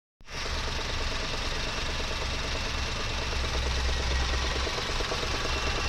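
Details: 2009 Honda with an R20A3 engine idling: fast, uneven knocking rattle from a worn A/C compressor clutch bearing (35x55x20), solved by replacing the bearing.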